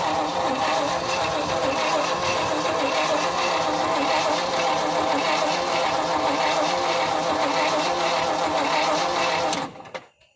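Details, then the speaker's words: Abandoned 1975 Ford F500 rollback after 17 years in a field, battery won't take a charge so a jump pack is used, old fuel looks bad: slow, labored cranking about 3.5 compression beats a second, then it cuts out, a stiff engine on weak power. "okay the battery won't take a charge so we're uh using my jump pack and we're gonna see if we can get it to at least crank over a little bit"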